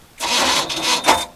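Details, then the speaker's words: Glastron-Carlson CVX23 boat engine on water hose, starter cranking with two harsh metallic grinding bursts then a short scrape; owner suspects a bad tooth on the flywheel, not confirmed. "I think I have a bad tooth on the flywheel."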